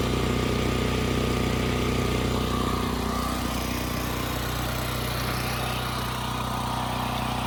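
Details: Westinghouse 7,000-watt generator after carburetor cleaning, speed adjusted to 61.5 Hz: firm, constant drone without hunting or surging. Tachometer reads close to 3,700 rpm, agreeing with multimeter; Kill-A-Watt readings deemed faulty; engine not overspeeding.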